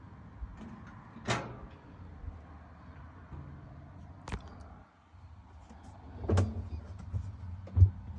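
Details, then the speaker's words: Whirlpool top-load washer: low steady motor hum with scattered sharp clunks, basket never spins up; tub hub suspected of not engaging, to be checked by removing the wash plate and replacing the hub. "so I think we have what you call this is either the tub hub that's where the washer is trying to spin but it's not engaging"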